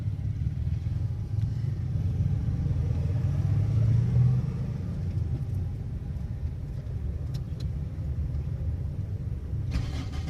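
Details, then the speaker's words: Car after a faulty fuel pump was replaced: starts with the key and holds a low, even, steady idle without stumbles or misses; it sometimes fails to start immediately. "The car is going to run, and I will let it idle for a while"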